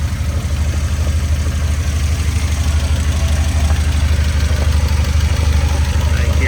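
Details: 1993 Nissan 240SX during a major overhaul, heard under the car: steady idle with a regular low knocking about three per second from inside the gearbox; input shaft or countershaft bearings suspected, unconfirmed.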